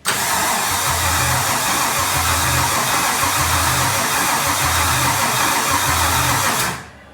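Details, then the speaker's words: Solstice with swapped Gen V L83 5.3L V8, E92 PCM, PSI harness, start attempt: strong, even cranking under loud rushing noise for about six seconds, never catches; crank no start. "Let's see if it fires up. If it catches on fire, you'll be the first to see. Wait. It's a no-go."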